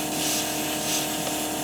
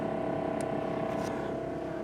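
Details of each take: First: 1976 GMC Motorhome rear air ride, air lines at dash manifold: steady airy hiss of compressed air escaping; replacing hose didn't stop it, leak is at the old fitting, to be replaced with new fittings. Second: 1976 GMC Motorhome rear air ride lines in the dash, after the leaking manifold fittings were replaced with new Parker 68P 1/4" fittings. Only a steady low hum with no hiss; no more air leaking.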